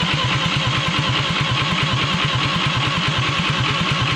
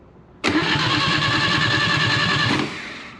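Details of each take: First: Atomic 4 ex-sailboat engine, spark at coil but none from distributor cap, distributor turnable by hand: steady starter churn, about three compression beats a second for ten seconds, never fires; owner suspects timing far off, unconfirmed. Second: Atomic 4 ex-sailboat gasoline engine on 12-volt battery and remote starter, oiled cylinders, no coil or spark yet: steady, even starter churn about two seconds with no firing or catching; healthy normal cranking.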